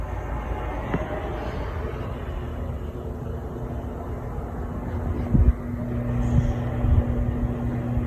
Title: Hampton Bay Sauterne ceiling fan in the master bedroom (bad capacitor)